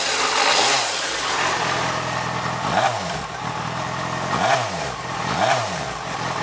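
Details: Stock 2004 Yamaha FZ6, about 18,000-19,000 miles, cold start idling about a minute, idle already dropping, pipes not yet warm: steady even idle with light mechanical patter, no misses or knocks; normal cold idle.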